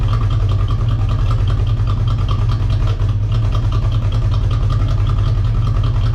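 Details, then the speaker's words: Corvette after installing Hypertech chip, something forgotten left out: low heavy idle with uneven lumpy pulse that never smooths; rough idle. "it was just running like complete [ __ ] and that's because i forgot the [ __ ] was out of the game"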